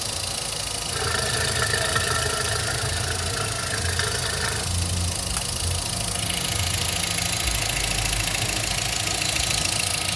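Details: 2010/2011 VW Voyage Comfortline 1.6, 46,783 km, after timing belt and tensioner replacement: fast uneven light tapping about three a second over steady idle; owner suspects injectors rather than camshaft, cause unclear.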